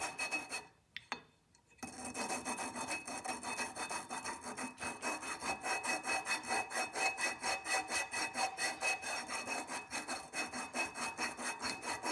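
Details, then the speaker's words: Golf cart engine being rebuilt: rhythmic back-and-forth rasping about two strokes a second while lapping the valves into their seats, the gritty scrape getting smoother as the grinding compound wears finer. "can actually hear the difference it gets a little smoother as you grind it down the piece becomes a higher grit"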